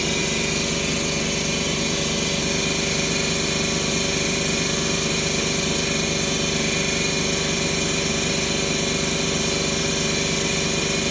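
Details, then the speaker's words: 2011 Ford Escape 2.5L with P0300 and misfires on cylinders 1 and 2: an uneven, stumbling, lopsided idle at about three beats a second, a dead-cylinder misfire traced to a burnt valve and low compression. "So I've been having a misfire cylinder number 2 and 1."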